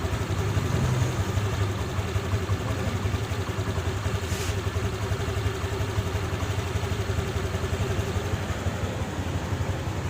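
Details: Honda Click 150i single-cylinder scooter after engine rebuild (new connecting rod kit, piston, rings, pin, head gasket, water-pipe O-rings; original crank bearings): even, steady idle with no knocking or rattles; healthy.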